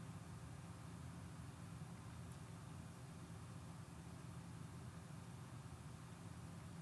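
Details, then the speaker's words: X570 motherboard after the failed chipset fan was replaced, lav mic beside the PC window: only a soft, steady low hum of fans ramping slightly under load, with no grinding or rattle, so the chipset fan runs quietly and normally. "yeah so you can hear the fans ramping up a little bit right there as my computer's doing some stuff but that's all i ever hear and then again in the front right here i hear nothing"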